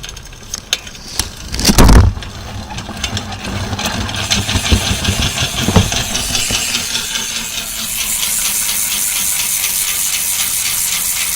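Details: Old bike's rear wheel spinning, with a piece of wood put in place so the sound can be heard. Fast, even, very loud clicking settles into a steady buzz as it coasts. Normal ratcheting freehub.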